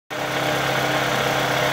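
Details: 2003 Toyota Camry, about 200k miles, after replacing a shredded belt but not the tensioner; loud at various idles. Clattery top end with a faint fast tick at idle; lifters, camshaft and timing idler confirmed, original camshaft had snapped, engine replaced.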